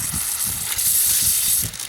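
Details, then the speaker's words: Drip irrigation main pipe: steady sharp hiss like spraying water with soft low thumps underneath, from a pinhole leak facing down on the underside of the pipe. "I'm just curious now what is causing that I can hear it I'm not sure if you can hear it on the video camera or not"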